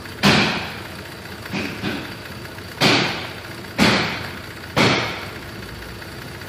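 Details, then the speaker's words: 2004 Cadillac SRX 3.6 at idle: stumbling with heavy uneven thump about once a second; misfire codes cylinders 1 and 3, one injector's current missing on fuse-tap test; intermittent injector problem, not confirmed. "En el cilindro 1 se está marcando control de misfire."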